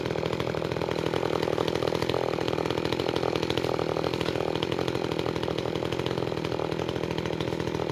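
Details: New Makita EA3200S chainsaw during break-in, cutting wood: steady high-revving buzz holds even as the chain bites, no bogging or misfire; healthy.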